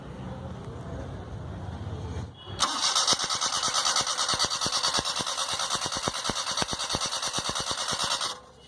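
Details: Maruti 800 with a starting problem being tested for the ignition coil: even, quick ticking about three per second over a hissy crank, engine never catches; cranks but will not start, likely ignition side.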